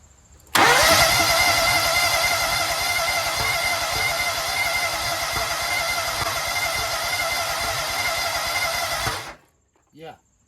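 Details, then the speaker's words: Toro Z-Master mower with Kohler EFI, fuel pump now running and spark present; steady cranking about nine seconds never catching, owner suspects both injectors clogged by black fibers from fuel, possibly valve issue: cranks but will not start. "So, I think the fuel injectors are clogged. We're now getting spark. It wants to start."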